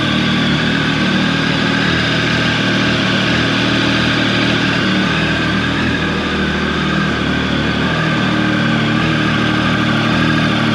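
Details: Triumph 1050 motorcycle, about 14 years old, cold start at about 48-49 degrees: brisk, even high idle, smooth and unchanging, no tapping or misfire while warming. Normal cold start high idle.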